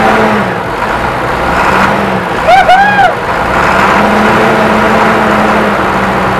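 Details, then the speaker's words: '99 International 4700 DT466E diesel, parked over 5 years and neglected, just started after fuel added: loud steady rumble at idle without misses or knocks, brief chirp over it; normal idle. "there she is burning like a right kitten i know it's not a cat i love it"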